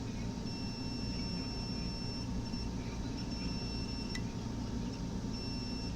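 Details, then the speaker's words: Samsung PN58B550T2F plasma TV power board that turns on then off after a loud pop, diode continuity test: steady meter beep across the diode; shorted diode, two diodes found shorted. "short yeah one side of this dude is shorted no this di is not shed two doe are shed this one and this one"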